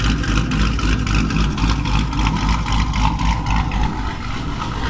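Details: Dodge Challenger Hemi V8 after a bad lifter was replaced with Hellcat lifters and a bad cam with a new Comp 274 cam: deep steady burble about four pulses a second, no top-end ticking; healthy idle.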